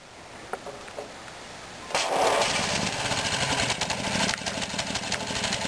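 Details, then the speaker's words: 1959 Briggs & Stratton 8 cu in 3 hp engine with 110 V electric start, running on old gas and untuned: clicks, then catches into fast uneven putter, hunting rather than settling; runs rough, old fuel suspected. "it has old gas in it so it doesn't really run the greatest I need to tune it up but it runs okay"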